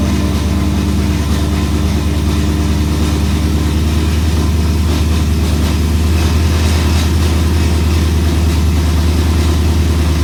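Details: E92 BMW M3 V8 throwing codes for multiple misfires and popping badly on cold start; deep steady idle with an uneven, lumpy beat and cylinders dropping out now and then, rough idle with misfires.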